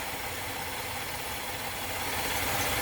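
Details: 2013 Chevrolet Impala that had a check engine light (EVAP purge code) and misfire after refueling, being fixed by replacing a stuck-open EVAP purge valve: even, quiet idle with fast steady patter and light hiss, no stumble or miss; sounds right.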